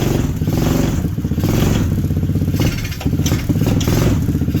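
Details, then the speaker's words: T-Rex go-kart small single after crash, running on year-old fuel and possibly nearly out of gas: lumpy uneven running, revs sagging and surging; poor throttle response, owner thinks it needs richening. "See, the throttle response is not there. Sounds like it needs to be richened up a little bit."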